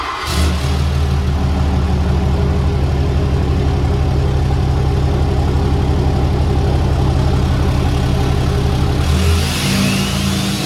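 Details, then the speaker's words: 2017 Ram 3500 Laramie Longhorn Megacab diesel, straight-piped and tuned: quick crank and catch, then loud deep even rumble through open pipes rising cleanly on the rev; healthy engine. "Now this particular Ram has been straight piped and tuned, so the numbers are actually even higher, and I think it sounds pretty good."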